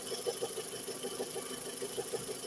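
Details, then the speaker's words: 2010 VW with 1.6 EA111 engine at idle: quick rhythmic chirp about six per second from the green air-conditioning belt; refitting the old A/C belt stopped the noise, so the A/C belt squeal is confirmed. "pode trocar correia dentada, correia verde do ar condicionado, esse barulhinho. Aí eu tirei a correia do ar condicionado, botei antiga, barulho parou, tá?"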